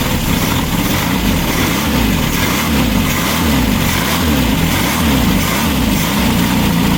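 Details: Freshly built VW Baja Bug flat-four on the stand, break-in oil with zinc additive, Super Dome distributor: even rhythmic chuff at steady idle, consistent pulses, no misfires or knocks; healthy.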